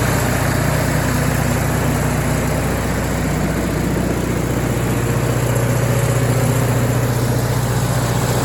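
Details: MEP-802A diesel generator bought at auction, after fixing no-fuel fault by unplugging fuel level switch; warm, a little over 160 on temp; smooth even low diesel thrum at steady speed, no misses, knocks or hunting; healthy.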